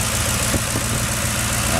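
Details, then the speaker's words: 2005 Ford Expedition V8, burns no oil, no coolant loss, after a year of owner repairs: steady even idle with a smooth low rumble and no knocks or misses, runs really good; normal idle. "Brake fluid's been good. It actually runs really, really good. And you can hear it."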